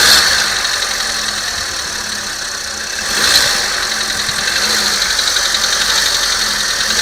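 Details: VW Polo Sedan engine blipped to under 2000 rpm and released: high idle, quick rev, then faint irregular tapping knock as revs fall; cause unclear.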